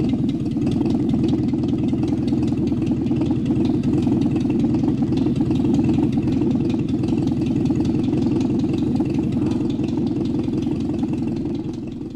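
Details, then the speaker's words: Exhaust leak on a 1964-era car: loud, uneven low puffing and chuffing at about two to three beats a second over the engine from a leaking exhaust pipe, letting dangerous fumes escape and possibly seep into the car. "Now, a leaking exhaust pipe. This is dangerous, not because of mechanical deficiency, but because it allows fumes to escape from the exhaust system, and they may well seep into the car."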